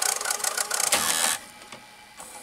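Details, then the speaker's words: RCA VR335 VCR after cleaning the mode switch: light raspy mechanical whirr with fast ticking for about 1.5 seconds, then quieter clicks; mechanism works but motor is noisy, possibly lacking lubricant. "perfectly working and just making a noise so maybe in just the lacks of a lubricant somewhere but I'm not gonna bother with that"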